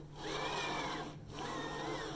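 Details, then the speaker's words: Emblaser 2 laser cutter after re-greasing slide bars during full service: smooth whirring sweep of the head one way and back, no grinding or scraping; normal gantry movement. "okay that's all done and I've run it backwards and forwards you can hear the difference there's no grubbing at all"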